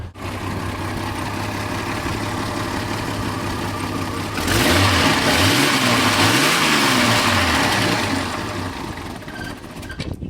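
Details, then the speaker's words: 1989 Jeep Cherokee 4.0 L I6 Renix with AW4 automatic, started before engine removal: steady even idle with quick blips settling cleanly; owner says it stalls when cold and may smoke a little when revved, unexplained. "doesn't sound all that bad, but for some reason she keeps stalling out when she's cold."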